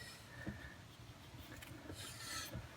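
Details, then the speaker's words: 1997 Camaro RS 3.8L V6, driver's front brake with pedal pulse and steering shake: quiet dry scraping as the rotor is turned by hand, tight where the pad catches a marked high spot. Warped rotor, replaced. "and just taking a closer look at this rotor surface it's got some marks in it this is where it gets tight right here against the brake pad yeah it's a real tight through there can hardly turn it with my hand"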